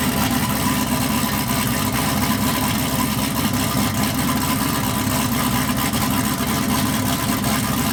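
Steady, deep, even idle with a constant beat and no misses, knocks or stumbles, so the engine sounds healthy.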